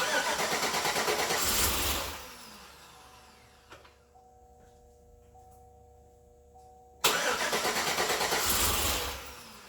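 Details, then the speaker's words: 2008 Suburban, first start attempt of new engine on charged battery: two bursts of even cranking, about three pulses a second, never catches; owner thinks it's not getting fuel, fuel pump possibly needing upgrade. "I think it's just fuel. Actually, it's not getting fuel."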